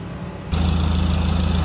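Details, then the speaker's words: Ford Ranger/BT50 turbo diesel with code P0299, idling: sharp puffing tick on each firing pulse from exhaust manifold-to-turbo joint, which is missing a bolt and has an added gasket; possibly warped surface; exhaust leak. "We did probably have half an idea on this one already being exhaust manifold or a turbo or something leaking, because you can actually hear it."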